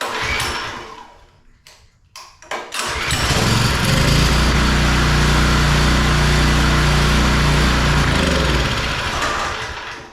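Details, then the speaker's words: Power washer small single-cylinder engine after carburetor work, air filter not yet fitted: it catches and settles into a fast, fairly even idle with a slight rise and fall in speed, a mild idle surge. "All right, so from here, it still sounds like it's surging just a little bit at idle, but I want to put the air filter on first before we do anything else."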